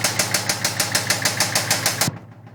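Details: Brand-new Ford Coyote crate engine in a Fox body, after easy 300-mile break-in and one WOT pass, idling: sharp, evenly spaced knocks about five per second, seemingly from passenger-side cylinder head; stop when engine cuts; cause unknown.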